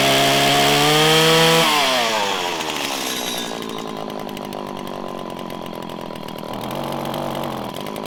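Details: 1997 Stihl Pro Series FS two-stroke trimmer in about 90-degree weather: revs rise to a high scream, then sag and hunt, slow to climb back into the power band; lean low-speed carburetor mixture needing adjustment.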